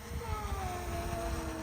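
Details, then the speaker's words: DJI Air S drone after crash into 30 m pine tree, with broken propellers replaced and battery changed: test flight with steady high motor hum, smooth even tones, no rattle, buzz or wobble; flying perfectly fine. "And here you go. The flight took off and it is flying perfectly fine."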